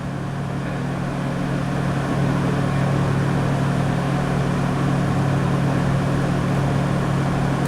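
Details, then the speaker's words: 1996 Toyota 4Runner V6, 235k miles, no codes, idling about 1300 rpm warm when it should be lower: steady fast idle drone that never settles; coolant reads only about 141-143°F, suspected stuck-open thermostat, TPS 11.3 possibly high. "it's idling at about 1300 rpm all the time it's fully warmed up should be less"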